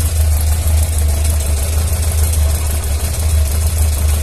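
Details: Yamaha XJ600S Diversion four, from a before-and-after repair comparison (oil change and other work): a deep, steady idle with an even low throb and no ticks or knocks; the owner heard little difference after the work.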